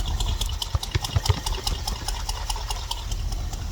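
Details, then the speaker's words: '89 Suburban V8 idling through its newly installed exhaust, just started: deep throaty rumble with slightly loping beat, stumbling a little with some gas, no rattles or leaks; much quieter than before. "she lot quieter than before huh guys just uh give a little gas she's like she's stumbling a little now but kind of what you want"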